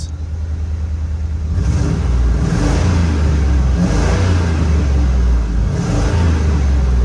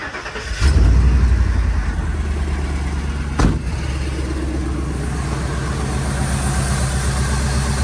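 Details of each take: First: Auction bucket van, previously inoperable, after fixing running and charging problems and cleaning a ground: smooth repeated revs, deep steady exhaust, no knocks or misses; running healthy after repair. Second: Ford bucket van bought inoperable at auction, down on power: engine catches after a short crank, then a lumpy, uneven low idle that stumbles, won't idle until warm; owner suspects gummed injectors or bad gas.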